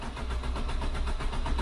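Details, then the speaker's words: Part-exchange car with manual short-shift gearbox: steady starter churning with slow even beat, engine never catches; cranks but won't start; cause unconfirmed, suggested pumping pedal twice first like an MGB. "uh oh it doesn't start let go oh yeah is it not like you do not do the old MGB trick two pumps first and then turn it on"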